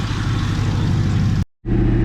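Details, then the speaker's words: Ford Mustang V8 manual, ex-drift car, at idle after a new accessory belt was fitted to cure a squeak: a deep, even V8 rumble with no chirp or squeal; the belt is now quiet. "Yeah, it's not squeaking. It was a belt."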